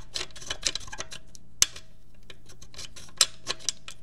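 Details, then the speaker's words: Gotrax GXL V2 scooter, motor already replaced but noise remained; mic held close to the front wheel; sharp uneven metallic ticks from a loose front wheel part, fixed by tightening with rubber to stop vibration. "so try see here it's the losing part losing part here you'll probably hear a little bit bit better if I and I put my mic a little bit close to there"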